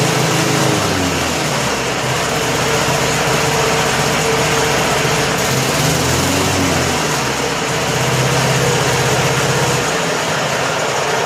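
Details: 1988 Snapper 21" self-propelled rear-bagger mower, 4 HP Wisconsin Robin (Subaru) engine, after new rope starter, service and tune-up: smooth even buzzing run with no misses or knocks over eleven seconds; running healthy.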